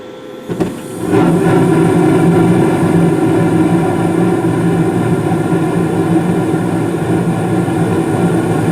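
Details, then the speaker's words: Carrier gas furnace in the basement serving the first floor, heat startup: soft click and whoosh of ignition, blower fan on about five seconds later, steady rushing airflow hum settling evenly; normal startup. "maybe about five seconds ago the what he call it the blower fan turned on there you go basin or first floor one started right up"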